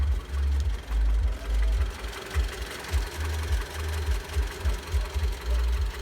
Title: Стук двигателя 4В10 1.8 Mitsubishi Lancer X